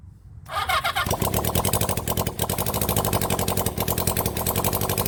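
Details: Rebuilt 1975 Honda CB400 Four engine, first start on test run: catches within half a second and settles into a quick, even four-cylinder patter; starts easily, though a carburettor keeps flooding.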